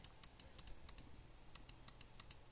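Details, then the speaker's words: Glorious Model D mouse left button, about three months old: crisp, clean single clicks at an uneven pace with no crunch; a normal click, unlike the occasional loose crunch click on this button. "I started getting this click coming out of the left mouse click here and so this is a normal click here"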